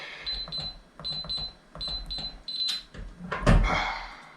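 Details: Winchester safe electronic lock, still failing after a new keypad battery. Several rounds of high keypad beeps, each followed by silence, then a heavy thump with no clean bolt release. Sticking lock, later fixed by spraying Real Magic.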